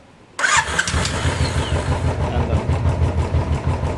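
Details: Royal Enfield Classic 500cc Desert Storm after the starter one-way bearing repair and fresh oil: heavy, slow cranking at about two pulses a second with a slight rub, normal because the 500cc engine takes more effort to turn.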